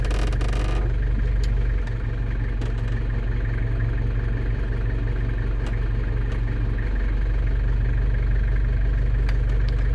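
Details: London Taxi diesel idling while shifting the automatic through gears to bleed it after sump gasket and fluid renewal: deep smooth rumble with brief dip as gear engages; healthy idle.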